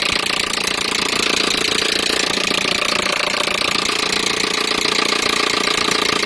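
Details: Peugeot 307 1.6 petrol engine: loud, fast, even clatter of about three knocks a second over the idle, a clear engine knock with the source not pinned down.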